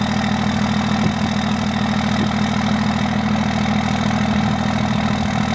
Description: Our 2002 Dodge Ram 2500HO being started on a cold day. You can hear a couple tries and towards the end she goes into a 3 cylinder high idle.